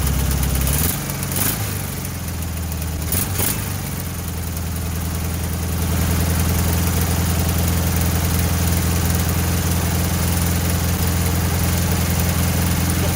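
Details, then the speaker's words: 1968 VW Bus air-cooled flat-four, revived after years of storage and an engine fire, new wiring, plugs, points and condenser, gummy carburetor linkage: settles from a few blips into a smooth, even idle, no misses or knocks; normal idle. "i think as you can hear this is running amazing right out of the box resurrected from the fire"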